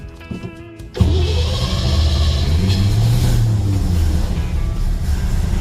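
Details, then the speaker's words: 1956 Chevy Bel Air 4-door with freshly rebuilt carburetor, cold start on choke with high idle stop set; cranks, catches, RPM climbs and idle smooths. Normal cold start. "There she goes. Starts up nicely. That was great. So now you can hear her picking up RPM. You can hear the idle smoothing out a little."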